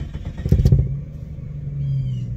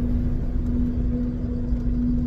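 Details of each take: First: 1993 Jeep Cherokee after new fuel pump, tank and filter, heard from inside at roadside: a few clattering bursts while cranking, then catches into steady low idle; fuel pump now quiet, an unidentified rattle underneath remains. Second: 1993 Jeep Cherokee while driving: steady low hum that grows louder after a short drive, failing fuel pump in tank, likely clogged after sitting five or six years.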